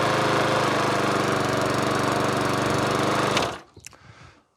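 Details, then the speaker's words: Old dump-found mower, refuelled and primed after tank found bone dry, tipped back: engine runs rough with uneven, labouring beat for about three seconds then cuts out; smoky, needs a service. "it's a bit Smokey Joe but with a service heart control done spray down tied up clean up I can make money on that all day long so super happy"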